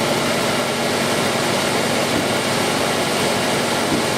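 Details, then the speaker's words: Ford V8 with EEC IV ignition at a slightly raised idle after a new distributor was installed to cure a #2 cylinder misfire: an even, smooth hum with no stumble or misfire pops. "raise it just a little bit all right great no misfire at all uh next thing i'll show you is the hip and spout and coil current signals again you hear how nice and smooth this is running"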